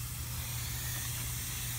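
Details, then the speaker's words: R22 heat pump with the defrost board replaced: a steady, soft airy hiss with no rhythm at the pipework, refrigerant escaping at the filter drier joint; refrigerant leak. "see see when I put my finger back there yeah she's a leaker Mama she's a"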